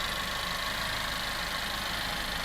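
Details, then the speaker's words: Car engine after an AC compressor bearing replacement. It had a loud howling/humming noise worse on throttle, traced with the belt off to the compressor bearing. Now a smooth, even idle with a soft steady hum and no whine; repaired and healthy. "仔细听，这回发动机着火的声音真是太完美了，相当的好"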